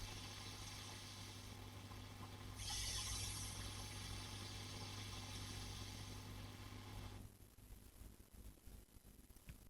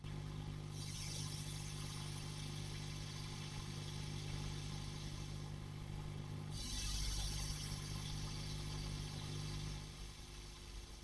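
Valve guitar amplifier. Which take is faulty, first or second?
second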